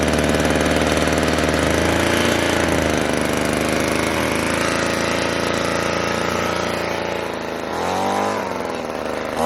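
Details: Echo PB-200 two-stroke leaf blower, found abandoned roadside, after cheap fix (carburetor line and bracket refitted): holds strong even speed, dips and picks back up cleanly near the end; normal running, healthy.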